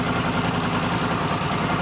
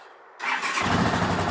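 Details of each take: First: 1979 Honda CX500 twin after rebuild, restarted after months standing outside: steady, even low burble at idle with no ticking or timing-chain slap (a known fault on these), now running alright; normal idle. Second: Rebuilt 1979 Honda CX500 twin, cold start on choke after months standing outside: engine catches after the starter and settles into a fast, uneven stumbling idle; misfire, owner suspects rotten fuel, with a small backfire.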